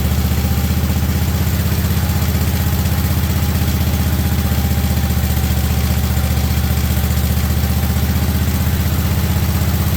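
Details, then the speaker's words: 1958 Wisconsin AENLD engine, salvaged from a street sweeper and revived, with muffler fitted and choke off: deep, even thump about four beats a second, smooth steady exhaust, no knock or miss; normal running. "I have to say it sounds freaking amazing that sounds amazing she runs so smooth when she's going"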